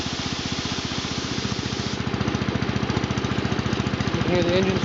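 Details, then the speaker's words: John Deere Model 20 air compressor for 110/112 garden tractors, tank replaced: even chuffing beat of about three and a half strokes a second, with bypass valve popping at pressure; normal pumping. "so that's the model 20 air compressor that's how it how it operates"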